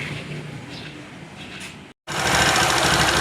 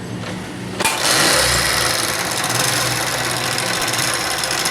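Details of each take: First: Honda CD70 70cc motorcycle after timing chain noise repair, timing and oil pump sprocket adjustment and carburetor refit: quick, even single-cylinder patter with steady buzz, no knocks or rattles; engine sound fixed. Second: Honda CD70 70cc motorcycle before repair: busy metallic rattling ticks, about three per second, over the running note. Timing chain noise, fixed by adjusting the timing chain and oil pump sprocket.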